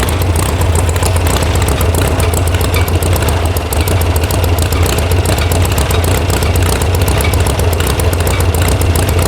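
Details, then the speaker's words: VW air-cooled sand rail (about 1966) after electronic ignition install and firing order fix: loud, lumpy, wavering idle with a bobble; the carburetor mixture screws were backed way out, giving a rough idle. "Oh, what's bobbling? But it definitely has a bobble to it. I don't like this."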